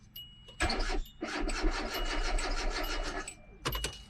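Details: 2003–2006 Hyundai Accent with a failed crankshaft position sensor, no RPM signal on scan data: three bursts of steady starter cranking, engine turning over evenly but never catching; crank-no-start.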